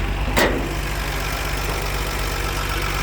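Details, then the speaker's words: 1964 Ford F100 shortbed with solid-lifter inline six and old-style muffler, in neutral: steady low even idle with light valve tick and one brief early clunk; sounds healthy. "sounds like a healthy solid lifter old six cylinder Ford"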